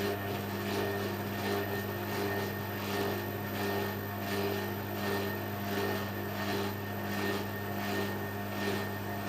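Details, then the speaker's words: Bendix compact washing machine on spin: steady motor hum with an even whoosh about every 0.7 seconds as the drum turns; spin works smoothly, though the drain pump runs permanently. "but we know the most the ball does work because if i oh six if i select a spin it will work of course"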